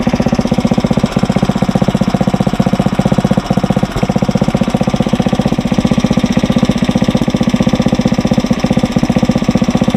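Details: Briggs & Stratton 900 series small single-cylinder engine, fuel valve shut off to run it dry: steady, even beat with no misses or knocks; runs smooth and healthy.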